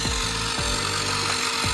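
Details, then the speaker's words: Wrecked Traxxas Stampede RC car with known damaged steering: harsh continuous servo buzz with a sweeping tone about twice a second; it stops when steering trim is turned fully right, so the steering servo buzzing is abnormal, cause unconfirmed. "Okay, so it shuts up when I turn the steering trim all the way to the right. That's not normal."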